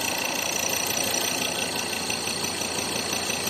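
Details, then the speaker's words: Ford Ranger 3.2 diesel idling: light irregular knock about three per second, thought to be engine, stops when body is pressed down; loose shock absorber top nut, not the engine. "Ayun nawala. Ito yung naging dahilan. Baba baba. Ayan oh. Hawakan natin 'to. Ah oan oh. Yung shock absorber."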